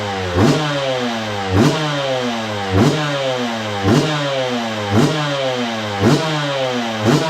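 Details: 2002 Yamaha YZ125 two-stroke, sat a long time, on choke after first start: sharp blips about once a second, each rising and falling cleanly with no knock or clatter, crank sounds good; normal revving.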